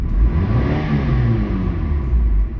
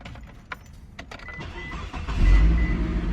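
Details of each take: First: Mitsubishi Eclipse on light then over half throttle, after new plugs, wires, coils, O2 sensor, EGR valve: deep note rising but surging and stumbling unevenly; sputters under throttle, with multiple misfire codes stored, cause unconfirmed. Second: Mitsubishi Eclipse after replacing O2 sensor, exhaust manifold with cat, EGR valve, plugs, wires, coils and more; it previously sputtered at over half throttle. Keys, quick crank and catch, even idle rising smoothly into a clean rev without sputter or stumble.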